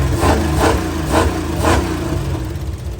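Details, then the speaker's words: 1949 Chevrolet 3100 with a used 350 small block Chevy and Holley 750 carburetor: sharp knocks about twice a second over a fast idle, fading after a few beats. Owner hopes it's something hitting the oil pan, fears rod bearings; needs valve adjustment. "I'm telling myself that it's the oil pan. I really hope it's the oil pan. I don't want to put connecting rod. I don't want to put bearings in this."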